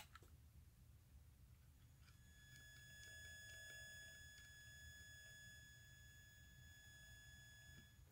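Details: RGB backlit, touch-sensitive modded Game Boy: steady high-pitched whine with faint ticking from the speaker; interference from the added circuitry suspected (switching noise, shielding, power draw or dried capacitors), added capacitance being tested.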